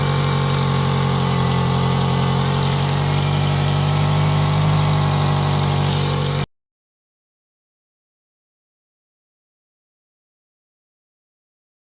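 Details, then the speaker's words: Toyota Celica idling, phone mic on a stick under the car: loud raspy drone and puffing from an exhaust leak, a hole apparently at the catalytic converter just before the O2 sensor, setting an engine code. "Now we have a small exhaust leak somewhere around the middle of the car, and you can see I'm trying to find it using my phone on a stick because I'm kind of too scared to crawl under the car. But it's pretty loud and it's giving me an engine code, so that's what we're going to be fixing today."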